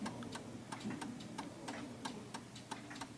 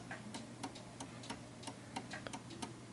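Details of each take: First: 1930s Enfield oak-case 8-day striking mantel clock after the beat adjustment was pushed further. Even, steady tick-tock at roughly ninety beats a minute with no limp, so it is running in beat. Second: 1930s 8-day striking oak-case Enfield mantel clock before beat adjustment: steady ticking about three per second, but the tick and tock gaps are uneven. The pendulum swing is off center, so the clock is out of beat.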